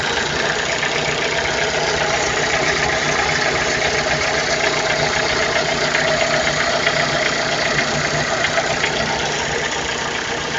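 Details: Chevrolet Celta 1.0 VHC engine at idle: steady idle with faint, fairly even ticking about four per second heard far in the background; source not identified.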